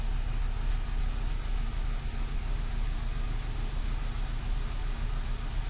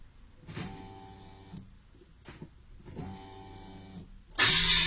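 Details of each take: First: Renault Clio II 1.4 16v after fuel pump replacement under the rear seat: low, uneven idle that wavers and never settles; unstable idle persists, so the pump swap did not fix it. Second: Renault Clio II 1.4 16V with unstable idle, new fuel pump under rear seat just fitted: two short, steady electric hums at key-on, then engine fires; fuel pump priming normally, rough idle persists.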